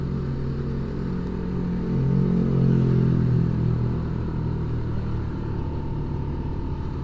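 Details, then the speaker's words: Honda Beat scooter CVT after fitting Koyo car bearings, ridden slowly below 20 km/h where knocking used to occur: steady low rumble rising gently with throttle, no knocking or rattling; transmission sounds healthy. "karena biasanya bunyi klotok-klotok itu pada saat motor pelan atau tarikan bawah Ferry nih bisa dilihat eh hilang"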